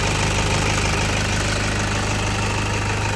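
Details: 2008 Toyota Fortuner diesel, now running after only the pinched O-rings were replaced to cure the crank-no-start, instead of the pressure pump a shop blamed. Even idle clatter at about three beats a second, no stumble or misfire; healthy.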